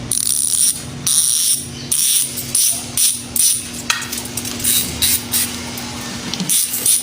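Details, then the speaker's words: Original, unmodified Hassns Pro 7 freehub with all 6 pawls and springs, as opposed to the one cut to 2 pawls: loud, rapid, crisp ratchet buzz in even bursts as the wheel coasts, the normal full-pawl sound. "At ito ng ating original, ito yung eksakto na original talaga, original na sounds ng Hassels Pro 7 is ganito."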